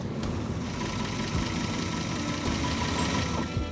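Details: Dually truck engine run after head gasket work, intermittent zero oil pressure reading (suspected bad gauge): steady idle with rapid irregular knocking under the drone; cause not yet known.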